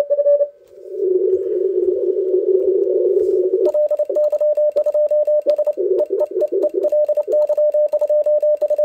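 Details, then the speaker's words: ICOM IC-705 running 10 W CW into an end-fed half-wave antenna in an HF contest: sharp T/R relay clicks follow every keyed dot and dash of a steady tone, masking reception between elements. Relay chatter in full break-in (QSK). "but in the reality you only hear the relays clicking the relay is clicking all the time and nothing could be heard in between the dots and dashes that's really a shame that's annoying"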